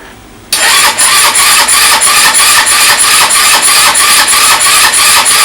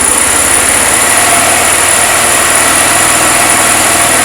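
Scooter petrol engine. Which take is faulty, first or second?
first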